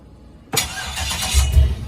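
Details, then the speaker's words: 1959 Chevy Apache with LS 5.3 V8, first real start with everything hooked up: starter spins the engine with a low, uneven churn but it never catches; the fuel pump wasn't given enough time to prime. "whoop didn't let it Prime enough here we go"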